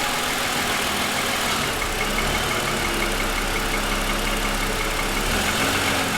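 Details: 2007 Lexus ES350, parked with hood raised, cold idle: hollow, rapid knocking rattle tied to engine speed; owner says pronounced piston slap lasting about 10 minutes after cold start, louder over 2.5 years of ownership.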